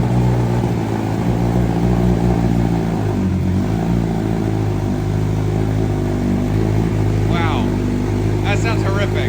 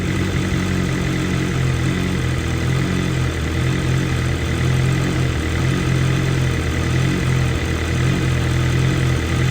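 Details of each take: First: 2023 BMW M1000RR Competition, completely cold first start after exhaust mods with the ECU not yet flashed and errors showing: blatty, uneven, flat raspy rumble that hunts before settling, rough idle from untuned fuelling. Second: 2023 BMW M1000RR Competition with new exhaust system but stock muffler, fully warm idle: steady deep idle with slight slow rise and fall in revs; normal idle hunting from high-lift cams, high compression and exhaust.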